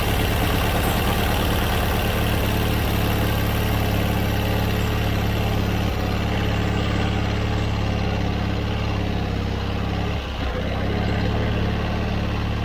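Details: John Deere 317 riding mower that quit and wouldn't restart, after cleaning a plugged carburetor: a steady, even low idle with no misses, surging or knocks that settles and holds speed; normal idle.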